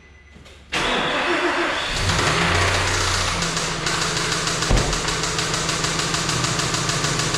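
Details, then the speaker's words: 2008 Nissan Frontier manual 4x4, 222k miles, known engine issue: cranks and catches, then a rough, crunchy top-end clatter over idle and blips; owner suspects a broken or sticking cam, unconfirmed. "so crunchy very crunchy right okay so just off of what i heard gather your thoughts i think a cam's broken i think it's stuck but it kind of moves sometimes based on like the variation of the noise"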